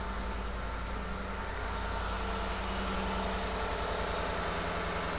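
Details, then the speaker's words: Deliberate misfire test on a newer car: one ignition coil unplugged, so the scope shows only seven of eight firings. A low idle with a faintly uneven, lumpy pulse as one cylinder gets no spark. "all right so there you go you see one two three four five six 7 there's no eight 1 2 3 4 five six 7 there's no eight"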